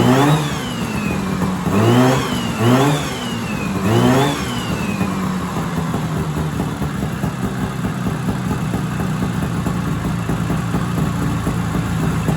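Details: 1970s Sno-Pony snowmobile, JLO 340 twin, sat 20-30 years, now pulling fuel, warm: four quick clean blips then steady even idle, no misses or knocks; normal running.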